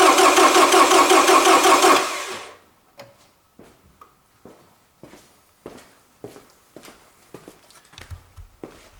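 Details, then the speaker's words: Toyota Camry cranking on a good battery with empty fuel tank; about two seconds of fast, even cranking that never catches, then quiet clicks; starter spins engine strongly; normal strong cranking, no start due to no fuel. "This was this idea that how this good battery rotates that my car. And normally if we have everything okay and our starter rotates that in this way, our car starts."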